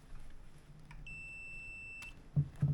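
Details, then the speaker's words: 1980 Ski-Doo Citation SS engine for a hovercraft, no spark: continuity tester gives a steady high beep about a second with points open, meaning continuity where none should be; points wire shorted to ground, points being removed to check. "yeah, points are open, I think, there. Points are closed. And it's still making contact, so something's wrong."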